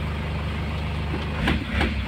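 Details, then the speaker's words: Nissan Patrol ZD30 diesel with low compression, oil poured into the intake to get it running, no check-engine light: low steady diesel rumble at an even idle around 700 rpm, no knocking or hunting; running normally. "ulitan no oh wala din yung check engine normal yung idl niya nasa 700"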